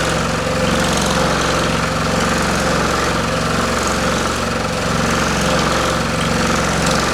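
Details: Pullmax-style machine with plastic thumbnail shrinking dies on its finest hit setting: fast, even chatter of rapid strikes at steady level, no irregular knocks; running normally.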